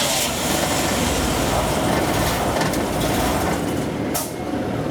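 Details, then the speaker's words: 1990 Buick Skylark, hot engine with low power worsening through the day: engine labours with a rough, choked roar, black smoke from tailpipe, sagging as if about to stall and won't stay running; running rich, catalytic converter believed completely plugged. "this this is our secondary problem um if we can keep it running it won't stay running"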